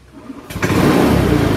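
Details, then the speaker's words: Honda Scoopy with Idling Stop System, engine restarted by twisting the throttle without the starter button: silence, then it catches at once and settles to a steady, even idle; idling stop restart works normally. "untuk menghidupkan lagi motornya tidak usah ditekan tombol starter cuma di putar tuas gasnya seperti ini"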